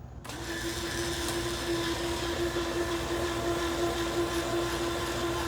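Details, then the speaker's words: Kavan Skyfox L-39 80mm EDF RC jet, electric retracts cycling gear up and down during CG check on the bench: steady geared whir at constant mid pitch, audibly running through its gears; normal retract operation. "this is a different type of gear. I've never they it's like you can hear it going through the the the gears um to make it work."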